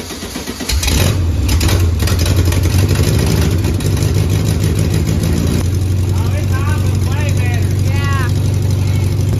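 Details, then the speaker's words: 1971 VW Beetle, parked 23+ years, first start on a new carburetor, coil, wiring harness and electronic ignition conversion: cranks, catches after a second, then a steady, even air-cooled chug with no stumbling; runs well after the correct coil was fitted. "Way better. Sounds good too, doesn't it? Mm-hmm. Really good."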